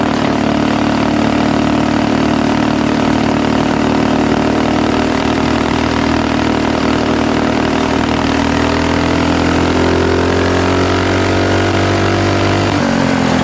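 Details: Axis M200 mini bike, 196cc single, Mikuni VM22, exhaust and governor delete, ridden under load to about 30 mph, chest-mounted camera: uneven stumbling note at higher revs, then drops off; cuts out at mid-high rpm, 120 main jet considered.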